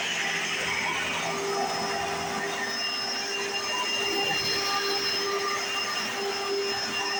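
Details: 1995 Hoover Encore Supreme U4261-930 upright vacuum, barely used; steady high-pitched motor whine with loud even brush roll hum, one part noted as loud at switch-on but not a problem; no knocks or surges, normal running.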